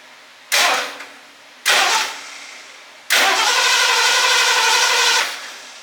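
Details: 1978 Lincoln Continental 460 big-block V8, buried 15 years in a warehouse, first crank attempt: three bursts of cranking, the last about two seconds, with no binding or hard stop; the engine turns over freely.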